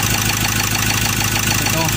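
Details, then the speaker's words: Ford Ranger 2.2 L diesel after refitting injectors 1–4, no check engine light: loud, harsh, uneven rattly idle with vibration; coolant depletes fast, oil dripping at the rear, white smoke, overheating issue suspected; cause unconfirmed. "Tapos punta tayo sa makina Ayan naung makina kaso ma-i at sa maka maingay so ma-i brate at saka maingay"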